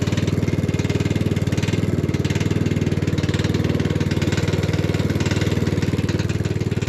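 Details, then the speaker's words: Hayter Harrier 56 Pro mower, plug and blade bolt tight, needing carb spray to start: fast, steady knocking riding on the engine note while running; cause still unknown. "yeah definitely some kind of knocking interesting spe okay we'll see what we can see"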